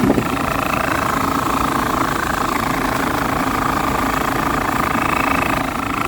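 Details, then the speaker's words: Dometic roof A/C on a 2005 Travel Supreme RV, installed about six months earlier: steady fan drone with a scraping, uneven rub from a loose, off-center blower wheel catching its plastic housing. "so you guys should be able to hear that horrible noise that's the fan rubbing on the plastic here"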